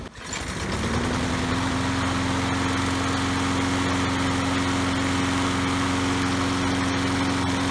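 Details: Troy-Bilt 3-in-1 self-propelled mower, Briggs & Stratton 675 series 190cc, curb find, after new spark plug and kill switch fix: catches at once and settles into a steady, even buzz with no misses; running smoothly.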